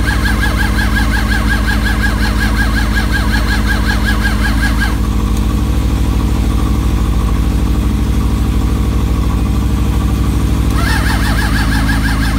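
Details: Suzuki GSX600F with a cold-start problem, battery charged from another bike: steady cranking without firing; carburetors soaking wet, owner suspects too much fuel flooded it and plans to pull the spark plugs.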